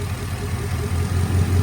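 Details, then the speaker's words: 2008 Chevy Avalanche 5.3 V8, cold first start after full teardown for timing chain failure: low steady idle, slight unevenness settling into an even beat as it smooths out; normal idle. "it's starting to smooth out a little bit now. Like I say, everything's got to kind of work itself out. That's not bad for this was a cold start, first start from having it all tore down."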